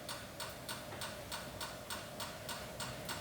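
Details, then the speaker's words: NSG 438 ESD test gun doing ISO 10605 contact discharge into the coupling plane, 2 kilohm tip resistance, press-to-start mode: sharp dry clicks three or four a second, evenly spaced; gun firing normally, automotive device not affected. "Yeah, you can probably you can't hear it, but it is discharging. So as you can see, the device actually not affected."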